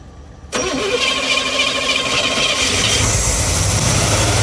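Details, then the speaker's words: 1971 GMC 3/4-ton Camper Special V8, first started in 18+ years, on a later start cranks briefly, then settles into an even burble on all cylinders with good oil pressure; fuel delivery problem still unresolved. "The second and third or fourth starts, I think, it sounded better and better. firing on all cylinders."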